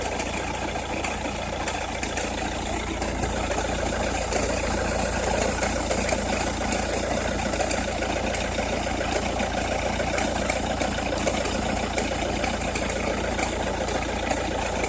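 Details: Opel Meriva, cold engine at idle: fast uneven crackling ticks, three to four a second, over a steady drone, only when cold or at very low revs, stops once warm; noise localised to one side, cause unknown.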